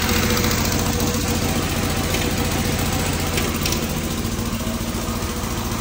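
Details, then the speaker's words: Fiat 126p two-cylinder engine after valve adjustment, idling; rough idle with quick, fairly regular tapping, three or four knocks a second; cause unclear. "chodzi ale dziwno chodzi ale troszkę dziwnie Coś puka coś stuka"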